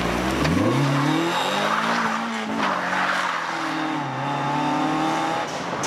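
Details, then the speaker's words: Mazda MX-5 Miata NA 1.6 four-cylinder with homemade welded exhaust revving hard while drifting, tyres squealing: harsh raspy note despite thick muffler and deadening; small exhaust leak behind the catalytic converter from a broken bolt. "well that's the exhaust which not particularly that happy with it it is really raspy and everything even with the thick Muffler and all the deadening"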